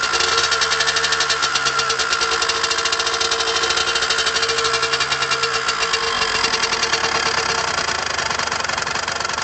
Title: Derbi Senda strange engine sound